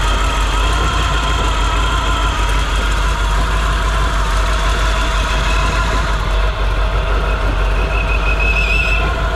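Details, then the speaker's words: 454 big-block Chevy in a 1957 Chevy Sedan Delivery on a 4x4 truck frame, now pulling fuel from the tank through the fuel pump: steady, even low idle rumble with no misses or knocks, burning off spilled brake fluid; normal idle. "I think it runs well enough that I'm going to move forward with putting the axles in and getting it driving"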